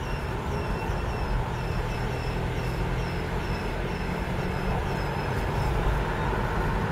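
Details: 2004 Passat 1.9 PD TDI, cold, rolling (also in neutral), windows down: high thin squeak pulsing over road rumble, unaffected by rpm, stops below 1 mph; exhaust leak whistle through cracked flex section beside catalytic converter.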